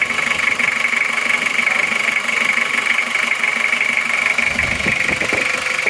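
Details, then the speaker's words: Toyota Kijang diesel after repair with new liners, about 3 km driven, just started: even diesel clatter at steady idle, no stray knocks or misses, clean exhaust smoke — smooth, healthy normal idle. "suaranya halus betul ya lihat asap knalpotnya baru saja hidup baru saja hidup Kenapa bersih"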